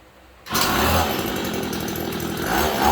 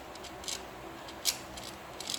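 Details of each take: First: Hyper Tough 2-stroke string trimmer with about 32 hours, just after a gearbox replacement: a sharp two-stroke buzz that climbs and settles with throttle, steady with no knocks or grinding; running properly. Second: Hyper Tough 2-stroke string trimmer gearbox turned by hand: faint sharp metallic scrapes about every 0.8 seconds, metal-on-metal, and it locks up and won't spin past a point; worn gearbox grinding and binding, to be replaced.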